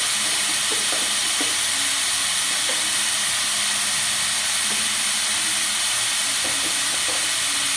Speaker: you can hear that that's because the pump was running and trying to fill the boiler as it was letting out hot water at the same time